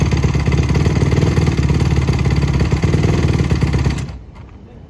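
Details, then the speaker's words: 2007 Honda CRF150R four-stroke single with a new OEM carb, started cold: it thumps along and sounds good, then collapses and dies as soon as the throttle is touched. Bogging on throttle opening, cause not confirmed. "that's really the the really only product cause it sounds good that's the only problem you know yeah like so when you touch it you need to like respond right you"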